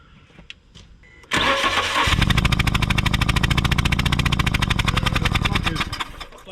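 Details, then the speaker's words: 2010 Fiat Panda 4x4 1.2 8v petrol, about 135k mileage: cranks and catches, then lumpy uneven running with missed pulses; a spark plug fires a few times then tracks along the centre electrode, causing a cylinder misfire. "plug isn't uh firing properly at all it goes a couple of times and then it tracks along the center"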